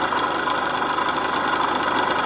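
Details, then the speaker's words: Suzuki TF185 two-stroke, carb cleaned, fuel flow and air filter OK: fast, uneven crackly ticking over a buzzy idle that never settles, running rough; owner suspects low compression, with timing, plug and ignition still to check. "Could be down on compression. I gave it a kick and it just doesn't feel quite right."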